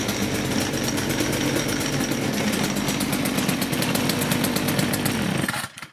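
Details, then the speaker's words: STIHL FS56 trimmer after repair of loud squealing (clutch problem): steady even two-stroke buzz with no squeal and trimmer head not spinning at idle, then clean shutdown; running normally. "So that did the trick, guys. The reason I was showing the head there in the video when I just started it now is because if you noticed, it was not spinning at all."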